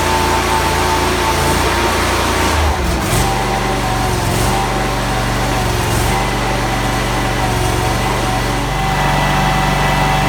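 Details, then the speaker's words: Small engine on a mini snowcat after new track install, on axle stands with tracks spinning in the air. Steady fast idle buzz with even track clatter, no knocking or grinding; normal running. "I still have it on the axle stand, so I'm about just to start it up and run the tracks just in the air and see how everything works."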